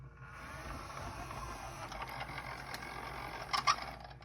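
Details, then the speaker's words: Denon DCM-380 CD changer, tray won't open, Error 2: a whirring gear train with uneven ratcheting clicks and sharp clacks as the drawer hesitates after repeated open presses. The single drawer belt looks worn and laggy. Hesitating CD tray. "the drawer wouldn't open at all but event but it looked like it was hesitating so I kept pressing the power on and on on and on open until it open"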